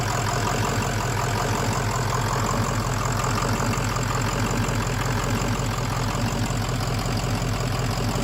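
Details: Kill Devil 600HP 6.0 Powerstroke in an Excursion build, first start after replacing the shorted engine harness: a steady, even diesel clatter at a settled idle with no misses or stumbles; it runs smoothly and sounds healthy.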